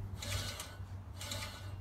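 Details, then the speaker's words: Scott Bonnar Model 45 mower cutting reel, freshly professionally sharpened reel and bed knife, after setting the reel to the bed knife: soft light swishes with no scraping or grabbing as it spins freely while still cutting newspaper cleanly across the bed knife; setting correct. "as you can see the newspaper cuts all the way across the bed knife the reel spins freely"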